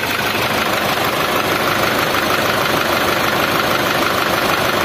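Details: Old Mitsubishi Triton diesel pickup idling with a harsh, uneven, gritty clatter, rougher than a healthy idle; engine also puts out white smoke with a sharp fuel smell and lacks power.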